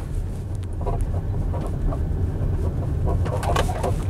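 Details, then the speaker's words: 2016 Tesla Model X driving on the road: scattered sharp chirps and light clicks over steady road rumble, seemingly from the rear, cause unknown (axle, wheel or chassis suspected); interior squeaks and rattles. "so installation is definitely better in the newer models you hear that lots of squeaks and rattles it's pretty bad"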